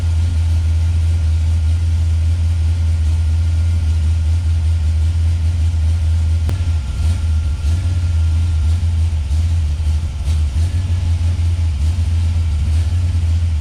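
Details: 1971 Plymouth Road Runner 440 big-block V8 with a FireCore distributor, initial timing pulled back toward 20°: a deep, lumpy idle that sags and wavers around ten seconds in, struggling to stay lit.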